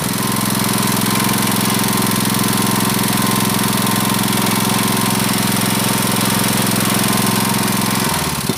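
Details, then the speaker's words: Honda GX160 5.5 hp water pump engine, unused a year, with black spark plug and frequent stalling, plug cleaned: steady, even single-cylinder putter at idle, no misses or knocks; runs better, the governor is still functioning. "So the stationary position is like this. It feels better . The 'dut' sound is so It indicates that the governor is still functioning"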